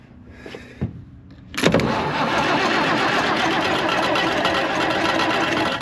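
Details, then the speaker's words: Case 1175 tractor diesel parked 15 years, started by shorting across the starter: a few quiet cranking clicks, then it catches, puffs smoke and settles into a rough, loud clatter; the fuel system has bled up and it runs. "I think it's actually gonna run. Wow. It's puffing smoke. So it's bled up."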